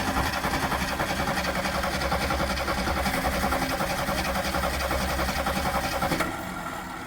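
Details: 1974 AMC Hornet with points distributor, parked for years, on a temporary battery: the starter churns at an even three-and-a-half beats per second for six seconds with no firing, then stops. Cranks, won't start; only a weak spark found. Cause not confirmed.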